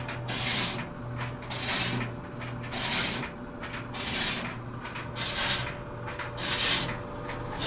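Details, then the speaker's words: White Westinghouse clothes dryer running with an empty drum before drum bearing repairs; scraping rub about every second and a quarter with each drum turn, over a low motor hum; rubbing noise, cause suspected but unconfirmed. "okay so it's still making that noise i think i have a really good idea what it is"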